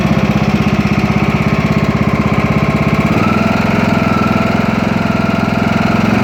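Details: Craftsman T2200 tractor, Briggs 540cc single, just reassembled after camshaft replacement: even chugging idle of two to three beats a second, no knocks or misses; no gas or oil leaks, no smoke; healthy.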